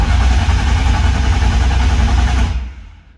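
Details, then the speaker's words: BMW E36 with swapped S54 engine, cranking before first start with fuel pump fuse out, after fixing starter wiring; steady even churn about four beats a second, winding down cleanly; normal cranking, building oil pressure. "And yeah, I cranked it over a couple times. I'll show you right now. Still gotta throw in the fuel pump fuse, but for now it cranks."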